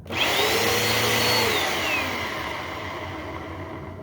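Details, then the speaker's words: Bissell PowerForce Helix vacuum spins up with high whine and rough undertone, then winds down; motor seems fine, wind-down noise suggests worn brush roll bearings, to be replaced. "That to me on wind down sounds like that might be the brush roll. If this turns fairly easy like this, I'm thinking this is one of the ones that I need to go and do something with the brush roll bearings."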